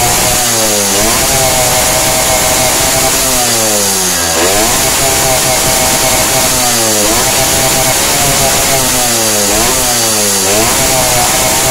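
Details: Yamaha two-stroke (LS3/RS100/RS125/RX100 type) with carburetor on the wet setting, air screw half a turn out; repeated sharp revs climb and fall cleanly with no stumble or bog; normal two-stroke revving.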